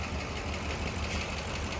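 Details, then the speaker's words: Steady idle with a quick, even, light metallic tapping about five times a second, heard on the driver's side; a lifter is suspected, and the spark plugs are being checked. "the reason I'm checking the spark plugs it's a like a a metallicy sound that I'm hearing uh like a lifter almost sound like a lifter"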